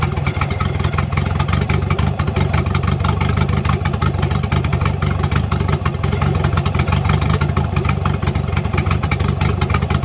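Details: Engine revving after an exhaust leak was fixed: steady, even note with clean revs and no ticking or puffing at the manifold, no more exhaust leak.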